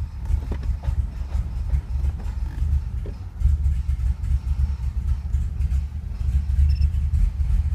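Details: Cold start, low lumpy idle with uneven beats and stumbles, engine won't idle or rev; about one minute in, Service Active Handling and Traction System lights come on and it then runs normally; rough running misfire.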